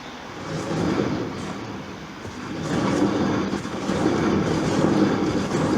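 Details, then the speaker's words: Front wheel spun by hand: coarse rumbling growl swelling and easing, louder on this side, quieter on the opposite side; worn hub bearing, mechanic judges three hub bearings gone by sound. "바퀴를 돌리면 와글와글 웁니다. 근데 이쪽만 나는 게 아니라 저 반대편도 소리는 나는데 좀 작습니다."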